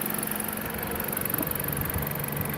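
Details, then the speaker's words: Dodge Caliber that wouldn't start or run, now fixed, giving a quiet, steady idle with a faint hum and no misses or ticking. "Dodge Caliber runs yep it runs as you can hear"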